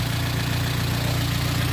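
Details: Rebuilt Vauxhall Astra VXR first start after banjo bolts fitted and oil filled: even, settled idle, smooth low hum, no knocks, ticks or misses; one tiny drip seen, possibly loose seal; normal idle.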